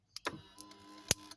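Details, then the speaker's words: 2007-2014 Acura MDX that won't start after blown fuse, dash blank; two sharp crackling snaps with a short whir between when the steering tilt is worked: column wiring chafed through by metal, shorting and sparking. "whoa now it was a shortage it's these wires that's underneath here that is is touching this metal piece right here that it rubbed"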